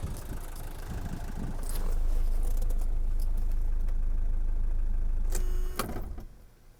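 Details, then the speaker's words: 1977 Mercedes-Benz 240D (W123) diesel. It fires and settles into an even idle clatter, then cuts off cleanly within a second: healthy engine, fuel-injection vacuum switch working. "turns off very rapidly which means that the engine is healthy and the fuel injection vacuum switch is functioning properly"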